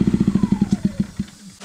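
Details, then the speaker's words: Predator 2000 W inverter generator: choppy, pulsing exhaust beats with a faint falling whistle, slowing unevenly until it dies; spark arrestor clogged, common after travel to different altitudes. Rough running from clogged spark arrestor. "And what that is the spark arrestor is plumb clogged."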